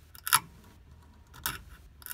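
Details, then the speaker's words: Beechcraft Bonanza aileron controls, heard inside the cabin as the yoke turns left: three sharp, dry clicks. The clamp on the end of a small 1/16-inch cable strikes a bracket; the fix is to loosen the clamp and rotate it. "when I turn the ailerons to turn the yoke to the left boom right there the end the end of that cable is hitting"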